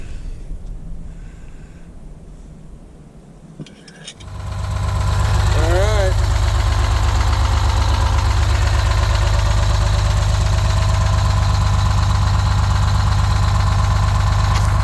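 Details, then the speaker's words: 1971 GMC 9500 with Detroit Diesel 6-71 two-stroke, after tune-up, started after 26 years: catches after about four seconds, then steady even idle with no knocks or misses; normal idle. "So, late at night, tune-up's done. It sounds good, it's purring good."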